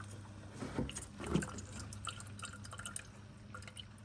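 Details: E93 after replacing the electronic water pump and thermostat, bleed procedure (pedal held 10 s, battery on trickle charger): irregular gurgles and drips, roughly two a second, over a low hum as the pump pushes trapped air out of the coolant.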